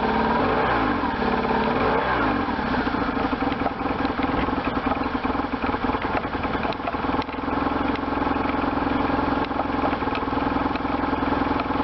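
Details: 1998 BMW R1100RT boxer twin, first run after restoration, throttle bodies not yet tuned; revs up and settles into a steady, slightly clattery run with no knocks or misses, sounding sound.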